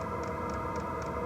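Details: Wippro 8 kW all-in-one diesel heater starting up, burn chamber lighting with jet-like sound: steady fan rush with soft evenly spaced ticks about four per second; fuel dosing pump priming normally before firing, blowing cold air initially.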